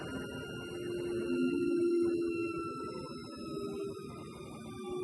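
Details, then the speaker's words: CO2 laser cutter after converting its original 5 V power supply to 24 V, first stepper motor movement: soft rising and falling whine with low hum as the gantry cuts a circle and slows; smooth, healthy stepper operation. "it is that sounds like it's cutting a circle uh yeah it's gonna slow down there's something soothing about it"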